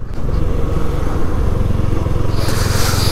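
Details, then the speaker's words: Yamaha R15 V3 riding after engine noise repair with fresh engine work, still breaking in: steady even low drone over road noise, no knocks or rattles; smooth, like new from the agency. "बाकी भाई अभी तक तो मेरे को एक number काम लगा जो साउंड है ना भाई एकदम स्मूथ साउंड जैसे अभीभी एजेंसी से निकाली हो वैसी साउंड"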